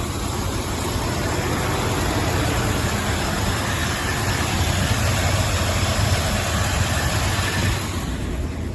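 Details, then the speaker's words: 1976 Ford F-250 390 V8, cold start several days later: lumpy, uneven, loping, rich idle; the choke stays closed after 15-20 minutes running and doesn't seem to work; an electric choke retrofit is planned. "It's been several days later. Yeah. I don't think that choke works at all."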